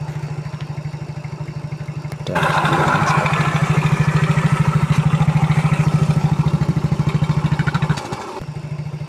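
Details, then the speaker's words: Yamaha Mio J scooter at idle after cam chain and tensioner replacement: even, steady putter and a smooth rev with no tapping or chain rattle, far quieter than before; engine sounds healthy. "Alhamdulillah ini sudah normal. Untuk bunyinya sudah lumayan adem ya. Sudah tidak gembelak seperti sebelumnya."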